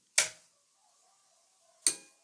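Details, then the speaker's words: Hitachi HA-270 amplifier powered on from wall socket, no speakers connected: two sharp, isolated clicks about 1.5 seconds apart; speaker protection relay engaging normally after switch-on. "and you can clearly hear the protection relay coming in that's already good"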